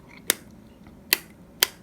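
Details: Three crisp, clean snaps about a second apart as a 3-gang household light switch toggles. The top switch is suspected of poor contact, but this sounds like normal, healthy switch action, heard before replacement.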